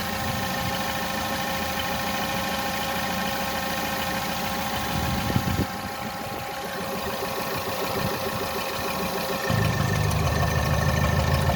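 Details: 1.6 THP direct-injection petrol engine (Peugeot/Citroen/Mini) smoking blue oil smoke with high crankcase pressure blowing oil past the valve cover; stumbling idle with a lumpy beat about three per second and occasional dips: misfire.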